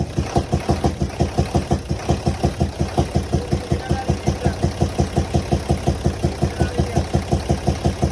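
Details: Nissan UD truck FE6 six-cylinder 24-valve diesel: steady chuffing beat, about three pulses a second, over a rough idle, loudest from the intake air filter side; traced to leaking intake valves, faulty camshaft and valve seals suspected.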